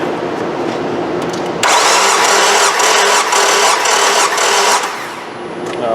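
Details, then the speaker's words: 2003 Nissan Altima 2.5 with a P0301 misfire, compression test at wide open throttle: starter cranks at a steady, even beat near four pulses a second, and this cylinder reads about 145 psi, a little shy of 150; normal compression. "so this one's just a little shy at 150 the pike is about 145"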